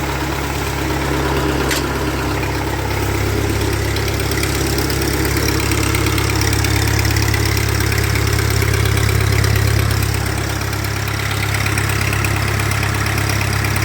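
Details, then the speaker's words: 1948 Ford 8N tractor warming up after rebuild, after testing the hydraulic lift in position and draft control: a steady, even low chug with no knocks or misses. It is not smoking and is running healthy. "and it's not smoking or nothing so maybe maybe we got a good one here boys and girls the engine's warming up"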